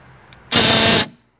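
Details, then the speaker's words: Right-side door central locking actuator motor, reworked the week before: a harsh half-second grinding buzz when unlocking, locking is fine. Motor faulty, replaced with a new unit. "Şimdi bakalım, açarken tuhaf bir ses çıkarıyordu. İşte çok yüksek ve inanılmaz bir sürtme sesi yapıyor motor. Kilitlerken bir sorun yok."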